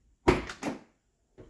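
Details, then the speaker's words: 1979 Lincoln door with new striker bolt fitted and latch sprayed: crisp single clunk as it shuts and a clean light pop opening; latch now works properly, fixing the loud clicking and hard closing. "spray our door latch let's see what happens foreign first try hear that pop can't beat it"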